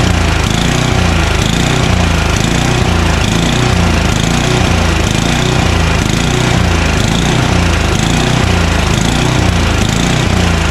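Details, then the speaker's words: Craftsman 29" snowblower, 9HP Tecumseh engine, long unused, started on choke at full throttle: speed rises and falls about once a second instead of holding steady; suspected dirty carburetor. "uh it surges because the carburetor is probably dirty"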